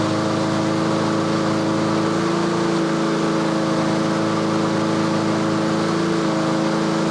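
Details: Yard-Man 21-inch self-propelled push mower during a tune-up, just started and warming with choke off: steady, even drone at about 3300 rpm with no surging or misses; normal governed speed.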